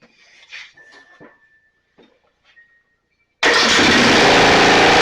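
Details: Snapper 28" riding mower, 12.5 hp Briggs & Stratton, electric start, hard-starting: after grounding the coil with a screwdriver where the kill ground wire was, engine starts without choke and settles into a loud, steady run with no misses.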